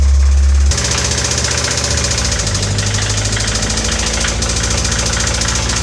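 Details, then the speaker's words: 1988 Toyota MR2 AW11 engine running in gear: steady low drone with a loose, fairly fast knocking through it; owner wonders whether it's external ticking such as timing belt, a spun bearing or rod knock, unconfirmed until teardown. "Do we think the ticking noises are external or something like on the timing belt or something? Or is that wishful thinking? Is there a spun bearing in there? Is that rod knock?"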